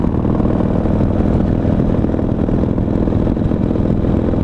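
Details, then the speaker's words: 2005 Harley Dyna Wide Glide 107 build with Feuling cams and Thunderheader exhaust. Recorded by a mic inside the helmet at cruising speed: deep, steady drone with wind hiss and even pulses. Normal running. "But, you know, it's, oh, just listen. Oh, it sounds amazing."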